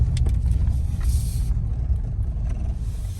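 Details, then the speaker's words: 2008 Toyota Tundra SR5 driven at parking-lot speed in two-wheel drive, 4WD disengaged: low steady rumble with no clicking, which occurs only in 4WD high; no fault codes, mechanical problem suspected. "here no noise I mean no noise and I already checked for the code and there's no code nothing"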